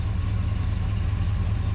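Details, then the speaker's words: 1980 Ford Bronco after 8 years sitting, new fuel tank, no tuning done, cold outside: quick, smooth idle with steady rumble and no misses or knocks; fast idle put down to the cold. "it's idling that quick, man. I mean, it's kind of cold out here. Yeah, I mean It's cold and you got to think about the last time we messed with this, it still was getting that shitty gas."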